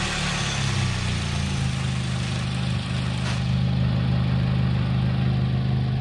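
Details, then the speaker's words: Small Korean-made sedan running on good engine oil as the control test before an olive oil swap, camera under the hood: it catches and settles into a smooth, even idle with a brief rev, with no knock; it runs great. "as you can see this thing runs like an absolute champ it seriously does it runs great"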